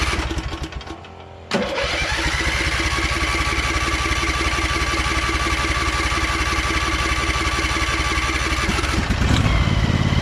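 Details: Briggs & Stratton Vanguard 23HP V-twin, choked, throttle low: quick crank, then it catches and settles into an even, steady idle with no misses or knocks.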